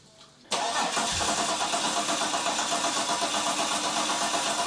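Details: 3.8L Ecotec V6 N/A burnout car, first start-up after final assembly: starter spins the engine at about four even beats a second but it never catches; crank, no start, cause suspected, not confirmed.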